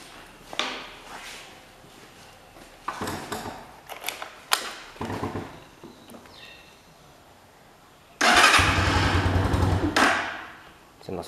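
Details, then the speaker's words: Italika motorcycle on 100% ethanol, first try: repeated short cranking bursts that never catch into a steady run; won't start because the fuel tap was closed. "Creo que no quiere arrancar. A lo mejor de que se vació el... Ah, es que está cerrada la llave de gasolina."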